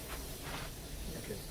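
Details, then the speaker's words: Geil gas fiber kiln, setpoint raised above 138: the burners come on with a steady gas roar and soft hiss, no popping, lit and firing evenly. "It's going to come on. The burners will come on. Yeah. Wait, I can't see that. It's at 264. Hear them come on?"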